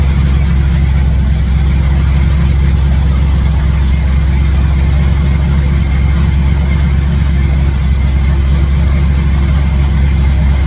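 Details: 1967 Chevy C10 truck V8 with ball-seat headers, started after exhaust-leak work and with all plug wires reinstalled: steady, even low rumble with no puffing or ticking at the manifolds. Sounds like all eight firing, no major exhaust leaks heard, so a normal idle.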